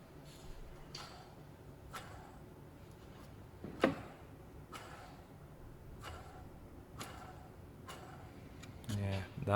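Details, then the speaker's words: 2012 Audi A6 2.0 TDI during timing belt replacement, belt and pulleys removed, water pump turned by hand: dry, evenly spaced ticks about once a second; worn water pump bearing, pump replaced. "water pump is shot"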